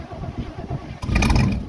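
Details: 1971 Chevy Cheyenne C10 cold start at 22 degrees: slow, even cranking pulses for about a second, then it fires and catches with a rising roar; hard starting, then runs well.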